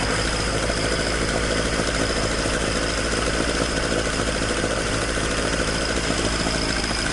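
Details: Toyota AE86 with 4A-G engine after exhaust leak repair, stock exhaust: a steady, even idle with a smooth, sealed exhaust note and no ticking or puffing. Normal idle.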